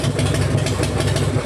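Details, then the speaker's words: Harley-Davidson V-twin after wire harness repair, started by tapping a sticking starter relay: steady, even idle with a deep regular thump and no knocks or misses; sounds good. Carburetor floats reportedly sticking with gas from the overflow. "Sounds good though, right? All the controls work, man."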